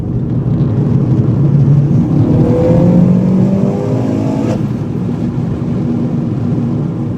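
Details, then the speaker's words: Vauxhall Corsa VXR after replacing the coil pack (third one) to fix a cough and misfire on boost: engine climbs smoothly through a hard pull on boost with no misfire, hesitation or coughing. "As you can see, the car pulled fine. I've done a few little pulls, as you can see. No misfire, no hesitation, no sort of coughing like it was doing before."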